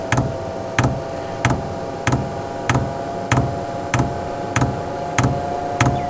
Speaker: so we're clicking we haven't pulled any diesel yet but we are pulling diesel but it's not just starting to come up the line